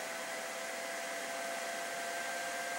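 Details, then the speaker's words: PC "Tuxedo" under FurMark load with side intake fans off, exhaust only, front fan cranked up, heading toward 70°C: loud steady hair-dryer rush with thin high whine, CPU fan overspeeding from poor case airflow. "now the processor starts taking off before we start setting off alarms or blowing the CPU fan let's turn these back on"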